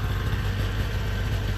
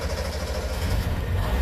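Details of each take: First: Small two-stroke 360 van, warmed up after a drive; low, even burble at steady idle with no misfires or rattles, smoking much less once oil burns out of muffler and exhaust; normal idle. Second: Small two-stroke 360 van started in garage after sitting, on choke; rough, uneven low burble barely idling while oil in crankcase burns off as heavy smoke filling the neighborhood; excessive smoke from oil-flooded crankcase.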